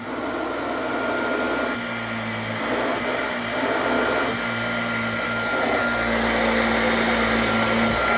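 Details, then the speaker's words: Hoover Junior 119 vintage vacuum: steady even motor hum with high whir and airflow rush, no rattles or surging, blowing out old dust; bag needs cleaning. Normal running. "It works and it sounds smooth."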